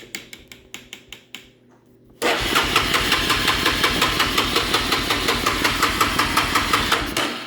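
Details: Honda Fourtrax ATV after light, switch and exhaust upgrades and a new handlebar switch: the starter spins steadily for about five seconds but it never fires. No spark, and a dead stator is suspected. Crank, no start.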